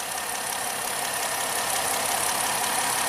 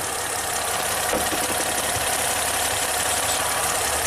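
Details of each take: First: 2010 Ford Fusion with an intermittent misfire, PCM replaced, idling with a scope on coil 4 and injector 4: steady, even hiss and hum with no stumbles, running smoothly for now before the misfire returns under load. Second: 2010 Ford Fusion under load after a new spark plug on cylinder 1, with the PCM already replaced: uneven, stumbling idle with occasional missed pulses; it is still misfiring on cylinder 1.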